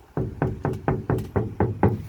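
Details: Ford Flex door before sound deadener install: eight hollow, ringing knocks about four a second with a drummy boom; untreated, undamped door skin resonating.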